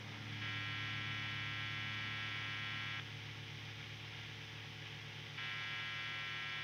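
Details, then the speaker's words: Guitar with single-coil pickups: a steady mains buzz that drops for a couple of seconds and then returns, normal single-coil hum that quietens when the strings are touched because the bridge grounds the guitar. "this is completely normal, it means that your guitar has a grounded bridge and that it is grounding this guitar with its body and that everything is fine because some noise is cut out"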